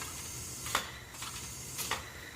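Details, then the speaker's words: Toro 724 snowblower engine cylinder leakdown test at top dead center on compression after valve repair, leakage down to 17%; steady airy hiss with soft puffs as air passes rings into crankcase, remaining crankcase blow-by leak though exhaust valve now seals. "You can see here we're down to the 17% now. Still have some crankcase leakage."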